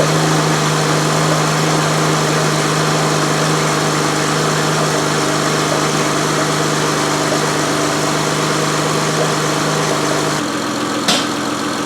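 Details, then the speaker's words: 2007 Saturn Vue 3.5L Honda V6, first start after timing belt and water pump replacement, with coolant being bled: a steady low drone at constant pitch with no misses, knocks or ticks. Healthy, normal idle. "we're going to start it we going to let it bleed out corn bleed out of it cuz I'm sure there's air on it right now and see how it does good start down pretty quick"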